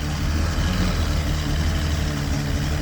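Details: 1989 Bayliner Capri 18ft with a Chrysler Force 125hp engine and L drive, first start after replacing the head gasket, impeller and missing thermostat, probably on old gas, in cold weather. It fires into a steady, even low drone with no knocks or misses, smoking from old oil.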